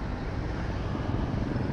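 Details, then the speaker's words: Honda ADV 160 scooter with an NK400 V3 swap, quick test run; low, even engine hum with no ticking, rattle or knocking over it, only a little wind; the engine runs quiet and healthy. "Tahimik naman yung makina eh. Wala namang kalampag eh."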